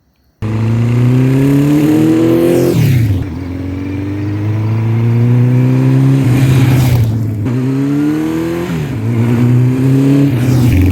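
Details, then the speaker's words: 1984 Honda CB700SC Nighthawk S on test ride just after a top-end rebuild, still breaking in: strong even exhaust note rising cleanly through each gear, crisp shifts, no misses or knocks; rider calls it smooth, engine healthy. "bike butter oh what a good running bike oh man so smooth"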